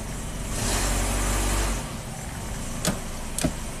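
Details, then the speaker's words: 1997 Kia Sportage 4x4 after surging-idle repair: steady, even idle about 800–900 rpm holding smooth as fan and lights switch on, no hunting or surging, a couple of light clicks; fuel trims within 1%, idle normal under electrical load. "Seems to be pretty happy. So live data is looking absolutely phenomenal."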